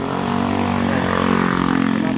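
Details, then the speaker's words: Rouser RS200 motorcycle shows yellow icon on start; starter turns over with a steady droning hum but the engine never catches, dies and won't start; weak battery, cranks but will not start. "Tapos pag in-start mo, pag clinic mo yung start, ganyan po yung nangyayari."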